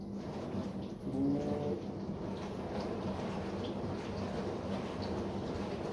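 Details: Bosch SMV53M70EU/A5 dishwasher: low steady hum under the water spray throughout the wash, later found to be caused by the seal of the upper spray arm.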